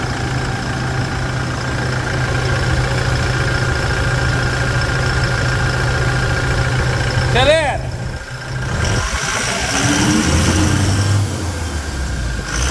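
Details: Toyota Hilux diesel pickup with 440,000 km, hood open after start, during service for rear wheel-end bearing, control arm and oil: steady, even idle with clean clatter, no knocks or misses; normal healthy diesel idle.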